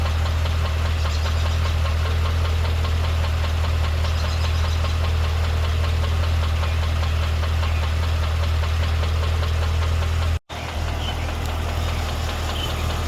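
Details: 2012 CTS-V: a steady deep idle with a quick light tick riding on top at about four per second; a ticking, knocking noise at idle.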